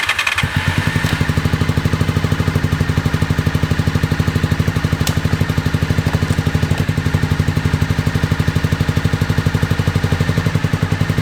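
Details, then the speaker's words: 2001 Honda VFR Interceptor (Gen 5) V4 with White Bros slip-on, barn-stored nearly a decade; lumpy, uneven chuffing about four beats a second, hollow exhaust, misfiring; runs only at half to near full throttle, 1,800–2,000 rpm, worsens then dies; owner suspects mouse-nest exhaust blockage, FI light on. "so it'll only start and run at about half to close to Full Throttle not quite but close to Full Throttle and it'll only get up to 1,800 to 2,000 RPM"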